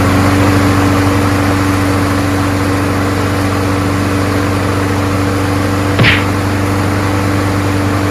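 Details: Craftsman 21in push mower, Briggs & Stratton Quantum 6.5HP primer-bulb engine after swapping in another carburetor with original gasket: steady even drone, no misses or surging; runs smoothly, problem was just the carburetor.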